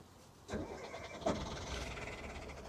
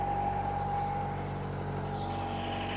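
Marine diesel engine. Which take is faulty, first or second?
first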